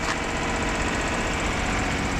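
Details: Duet after sitting a day in rain, cold start: busy, uneven chatter over steady idle with no clear misfire beat; slightly rough but fairly acceptable idle.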